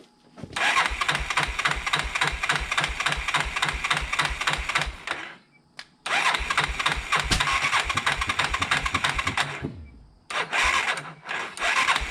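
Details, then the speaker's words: Fire-burned 1987 Yamaha Big Bear 350 4x4 ATV on an undersized battery, in neutral: the starter churns in steady bursts of roughly three and a half compression pulses a second but never catches. Crank, no start, no spark; a corroded coil ground wire was found. "Let's uh let's check for spark no spark crank no spark a quick visual inspection here's what I found"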